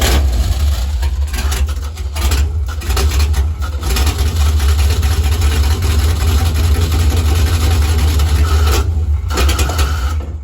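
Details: 1957 Chevy wagon V8 off the road 30 years: long crank that catches and runs rough and low only on fuel poured into the carb, no tank supply; ignition switch wiring keeps the starter engaged; hard start.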